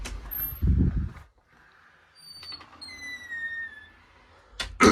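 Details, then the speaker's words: Door closer, squeaking on closing; the owner suspects a bent part rubbing on the arm, not confirmed: a thin squeal sliding down in pitch for about two seconds, with soft thuds at each end. "It is starting to squeak from there, too, which is probably going to get louder. I think it's because Yeah, it's cuz that part bends onto the arm. So, it's obviously hitting the armor, making it squeak, isn't it?"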